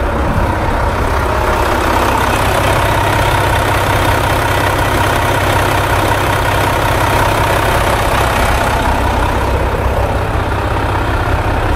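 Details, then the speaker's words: Volvo D13 truck diesel after valve adjustment (calibration): steady, even idle rumble with no ticking, knocks or misses; the engine idles healthily. "then I'm going to show you the result when the truck is already started final this is the result This is what it sounds"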